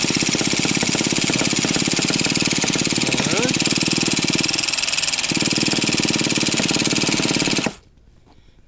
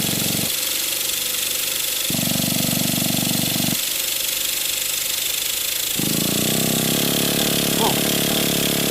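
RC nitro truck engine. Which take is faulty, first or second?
first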